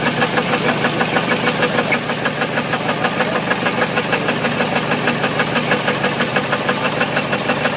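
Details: Ford 351W V8 with a spun rod bearing, abused: a hard, regular rod knock about three times a second at idle over a rough V8 beat.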